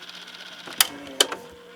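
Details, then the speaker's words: Toshiba RT-S93 boombox cassette deck playing. A faint whirring mechanism is broken by two sharp clunks about half a second apart; the lights and remote work, but something is wrong with the transport and the cause is unknown. "But something is goofy. Don't know what's wrong here."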